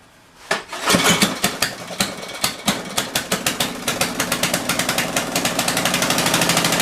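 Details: Tecumseh generator, believed 4000 W with 8 hp engine, long stored, started on choke with a drill plugged in to check output: pull start catches at once, loose pops quicken into a fast, even run under load.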